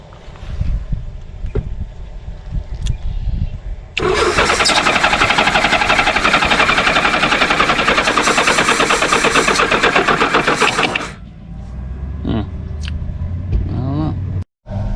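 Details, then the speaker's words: Honda Goldwing GL1500 flat-six (stated as 1986 or 1988), 32,656 miles, sat 21 years in a barn: long rapid even cranking, catches for a second then fades out; fires briefly and dies, cause suspected not confirmed, possibly poor connectors and open hoses. "Oh! Was. It cranked up for a second there."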